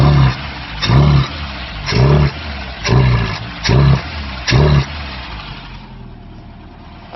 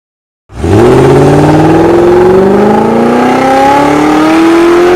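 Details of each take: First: Ford Pinto-engined kit car with Weber 32/36 DGAV carburettor, six short throttle blips that never climb and fall back, bogging; low-pressure pump (about 3–4 psi) sending fuel back through a wrongly fitted return line, starving the carb; ignition timing also far out. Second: Ford 1800 Pinto-engined kit car with Weber 32/36 DGAV carburettor on the dyno, after fixing a misfitted fuel return line causing fuel starvation and correcting far-out ignition timing: engine pulls cleanly through a steady rising tone, no misses or knocks; normal revving.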